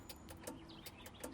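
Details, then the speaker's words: Land Rover Series IIa Tex Magna-Lite self-cancelling indicator switch after repair with new rubber replacing the 54-year-old original. Crisp, even single clicks about every 0.4 seconds in a quiet background; indicator flasher working normally. "they indicated clicking there excellent"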